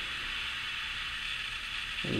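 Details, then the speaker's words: Wanhao Duplicator i3 3D printer Y-axis LM8UU linear bearing, rod lifted out: steady gritty hiss as the worn bearing drags along the rod, shedding bearing debris and dirty grease; replaced. "now you can hear the bearings is really dragging and you can"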